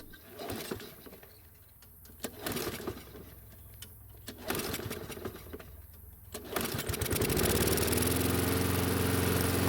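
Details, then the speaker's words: Toro mower restarted warm with the air filter off the carb, choke partly closed: a few pull-cord tugs, then it catches and settles into a smooth, steady run; normal running. "it did take a few pulls to get it to start but that's not too bad for this type of choke system and for not having the air filter on the carb"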